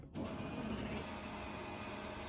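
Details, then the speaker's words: Scion FR-S with a 1JZ-GTE VVTi swap, with the fuel pump commanded on through the ECU Master output test: a steady electric whir starts abruptly and holds an even hum as the pump and surge tank prime the system normally. "And then we got fuel pump. And then you click invert output and you can actually hear the pump priming and running."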